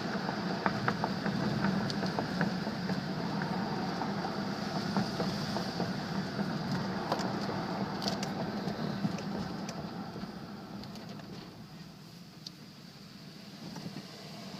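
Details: 2000 Nissan Xterra: light, irregular metallic ticking and buzzing, mainly when first accelerating from a stop, present for over six years. The cause was a rusted exhaust pipe heat shield that had broken loose.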